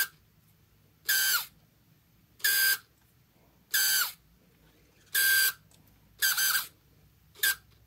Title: Canon Zoom Lens EF 28-80mm Focus Motor Terrible Squeaking Grinding Noise Camera